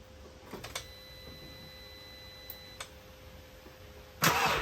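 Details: MK6 VW Golf GTI after the starter motor was removed and serviced over an intermittent weak-crank complaint: quiet, then a short starter burst and the engine catches promptly. Clean, normal crank and start.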